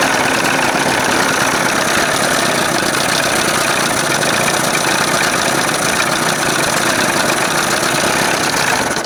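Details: 1981 Evinrude 20 HP outboard with play in the throttle linkage; leaning the mixture gave no help. Loud, raspy idle with an irregular, stumbling beat that never smooths out. Rough, uneven idle, cause not found.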